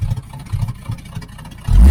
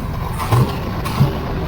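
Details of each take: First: 1980 Z28 V8 on a new knock-off Holley 4-barrel carb, after opening the flapper fully so the idle screw could lower the idle; timing still not adjusted: two quick, clean throttle blips dropping back crisply to a low idle. It now has acceleration. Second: 1980 Z28 V8 just started on a new knock-off Holley 4-barrel carburetor, no brakes, carb not leaking: steady, fast idle with a quick even lope and no stumble. The idle is set too high and needs turning down.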